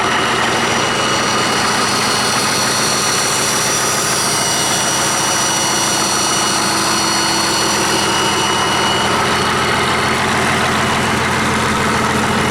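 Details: 1959 Caterpillar D337F diesel genset, stored in a barn 10 to 12 years, just started and resting at idle (needs the shutdown lever to stop). Loud, even idle with a steady low drumming of about three beats a second, no knocks or misses: normal idle.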